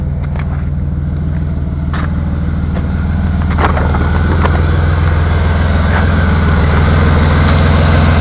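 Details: Car engine with 190,802 miles idling: deep, steady knock about three or four a second that grows louder as it runs; suspected rod knock, not confirmed.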